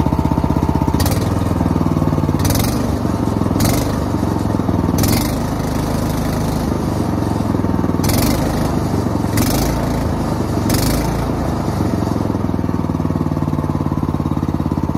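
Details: Small petrol engine running for the first time in 2 years: steady and even with a few sharp background clatters; the carburetor is now feeding it properly.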